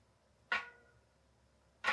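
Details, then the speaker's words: Easton Haven rear mountain bike wheel spun slowly in truing stand: two short scraping swishes about 1.3 s apart, once per turn, in quiet room; large lateral rim warp just rubbing the gauge, to be fixed by spoke adjustment. "okay, we got a pretty big warp going on to say the least. And I'm just barely rubbing it right now."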